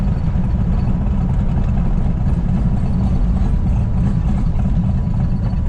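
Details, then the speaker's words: Firebird V8 with freshly installed engine and aggressive cam, just started after long cranking likely flooded it: deep, uneven, choppy lope with no knocking, running pretty smooth; lopey idle from performance camshaft. It later lost oil pressure within 4 miles. "so dude it's running pretty smooth now oh she sounds spicy this cam is pretty choppy"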